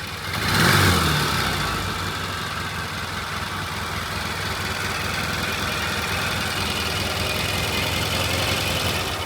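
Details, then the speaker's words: Vintage British twin motorcycle idling after carb needle replacement and freshly set jet adjustment and idle, timing not yet strobed; steady, even low putter with no misses or stumbles; normal idle. "All right, it started right up. I set the [Music] jet adjustment jet and I set the idle. It sounds good. Yeah, that sounds good. I'm happy with it."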